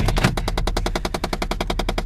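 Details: 2006 Chevy Impala LT, about 160,000 miles: rapid, even knocking about nine per second from behind the dashboard at idle, not the engine, after remote start; owner suspects jammed HVAC air door actuator motors, second occurrence.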